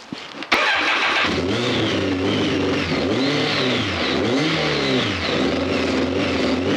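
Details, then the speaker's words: BMW K1200 R motorcycle that runs rough and cuts out, fault codes just cleared including fuel level sensor and injection: starts, then revs surge up and down in uneven swells instead of settling to idle; rough running. "The fuel level is not shown, so we'll start it up and see what it sounds like. Alright. All the exhaust pipes are hot, so doesn't sound too good."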